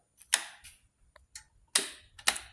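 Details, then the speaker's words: 2022 Royal Enfield Himalayan, intermittent no-start after warming up; tapping the pump once revived it, relay swapped and ruled out. At key-on only sharp clicks and a faint thump, no pump whir; fuel pump not priming, failing pump suspected. "You could just hear it. Kind of like do a thump, but nothing actually happens. So, this is exactly what it did to me on the trail."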